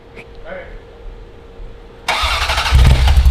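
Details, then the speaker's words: Ferrari 348 on first start after an engine-out timing belt major service, gas smell, no spark suspected: starter churns about four pulses a second with no catch; cranks but won't fire, cause unconfirmed. "Josh's hooking up the computer because it should have fired by now so something's not quite right"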